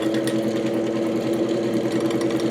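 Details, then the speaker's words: 1949 GE Vortalex 12-inch desk fan before repair, motor worn, on third speed: humming motor with a quick rhythmic flutter as the blade wobbles badly out of balance; owner suspects a bent shaft. "Oh, Looks like it might even have a bent shaft. That's not good."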